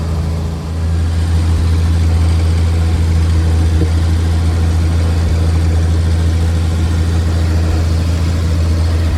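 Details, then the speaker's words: 1950 Chevrolet 4400 dump truck being revived after years of sitting, idling while warming up after cold start on choke: steady even low rumble with smooth beat, no knocks or misses; normal idle. "And start. Choke action. That's idling."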